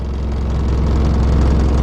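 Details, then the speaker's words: 1981 Mercedes-Benz 240D diesel, mileage stated unclearly (ninety-nine thousand-something): a deep, shaky, uneven idle throb when cold that improves as it warms, and the whole vehicle shakes. Rough cold idle, cause not determined. "I don't like the way to thing running running kind of rough few hundred ninety nine thousand miles"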